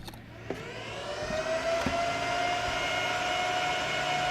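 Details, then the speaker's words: 3Com 16-port gigabit network switch at power-on: the fan whine rises in pitch and settles into a loud, steady high drone; the fans are overly loud, and the owner plans to remove them or cut their voltage. "so I didn't even need the meter in shot there for you to see that it's incredibly loud so what I'm planning to do is reduce the volume of these fans by either taking them out or cutting the voltage to them"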